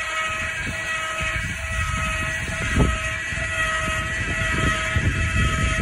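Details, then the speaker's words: 2012 Surveyor 304 travel trailer stabilizer jacks lowering: thin steady whine over low thumps as the motor firms up against the ground; normal operation. "they'll contact the ground you'll hear some whining from the motor as it firms up and that's all you want"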